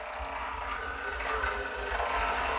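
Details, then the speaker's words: RC tower crane hoist motor lifting slowly; faint uneven light ticks on a slow whir, clicking with each sensor firing and with any weight, cause unconfirmed: clicking at low speed. "it's when the sensor fires each router um each yeah click click it clicks each one click click click"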